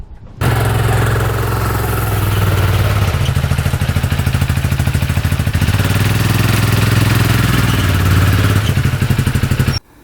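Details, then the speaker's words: 2013 Arctic Cat Wildcat 1000cc UTV; uneven, lumpy stumbling beat that won't settle, won't idle, cuts out off throttle, no power, bogs, some smoke. Sounds like it is running on one cylinder. "does not idle at all will cut out instantly if you don't have your foot on the gas um has zero power maybe 10 m hour top speed um bogs like crazy just running really crappy"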